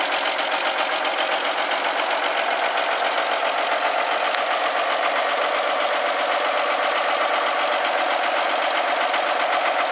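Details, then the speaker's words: Old Kenworth diesel truck started for first time in about five years: steady, even diesel clatter at idle with no stumble or knock; smoke looks and smells good, idling healthily. "See if one will come to life. Atta girl. Smoke's good. Even smells good. The old school smoke."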